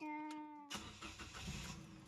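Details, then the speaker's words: Car started after installing a hidden touch-sensor anti-theft switch on the ignition line: brief tonal hum, then the engine catches cleanly and settles into an even running note; normal start. "Hidup ya teman-teman. Kita ulang lagi, kita matiin."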